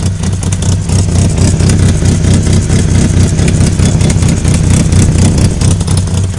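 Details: Knocking from a 1998 Mitsubishi Eclipse RS at idle and when blipped: a heavy, uneven low knock through the rumble, which the owner thinks comes from the transmission, exact source unknown.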